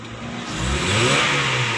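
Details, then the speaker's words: 2008 Honda HR-V that would not rev past 2500 rpm with code P1659 (ECTS control relay), after repair and clearing codes: idles at 900 rpm, then free-revs cleanly and evenly to its 5000 rpm limiter with no stumble. "untuk akselerasinya ini sampai 5000 RPM ya gini dirimu Ibu RPM ini tidak bisa lebih lagi karena dia ada sistem Q apa Card pada remnya"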